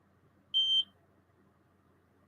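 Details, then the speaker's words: SAKE PD2i pager-style gamma dosimeter: a single high, clean beep of about a third of a second as a button is pressed, just a key-press tone, nothing faulty. "pressing the wrong button there we go put the light on it"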